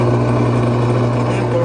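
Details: Bosch AXT 2200 garden shredder, after cleaning and reassembly: steady, even low motor hum with no stutter or dropouts; motor running smoothly.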